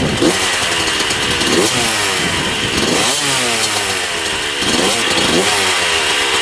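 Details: 1994 Honda CR125 two-stroke dirt bike, with a temporary gasket-maker fix on the coolant-leaking cylinder/head: crisp, raspy revving sweeps with a thin edge. The owner thinks it sounds lean and needs richer jetting.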